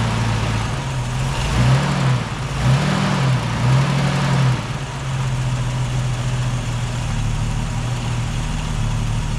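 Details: Holden UC Torana six-cylinder on a temporary fuel cell, original tank fuel pump disconnected: catches, wavers through a few small revs, then holds a steady even low idle with no misses or knocks.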